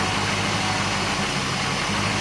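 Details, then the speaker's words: Porsche 928 with CIS injection that had a 1500-1800 rpm high idle, being re-tuned. Mixture leaned out about another eighth of a turn gives a rough, uneven idle with stumbles. Misfire at idle from lean mixture. "I want to lean it right out and then go back here I think we can hear it now missing so I've done about another eighth of a turn and it's missing"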